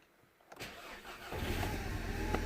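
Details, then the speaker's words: 2010 VW Golf GTI 2.0 petrol cold start in very cold weather after the battery sat about 5 days (81% health, 78% charge): brief crank, catches cleanly, steady idle; started fine three times. "as you can see I've done it three times cuz the engine was just shutting down uh I've done it three times and three times it started absolutely fine with the battery that's been here standing for pretty much 5 days"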